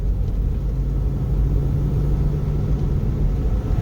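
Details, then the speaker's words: GMC Denali on its first road test after a 4L60E swap to a second junkyard transmission: a steady low road rumble with no flare, clunk or slip as it takes second; normal automatic shifting. "see if transmission number two that the junkyard sent for this is going to be a good one Oh God we got second gear"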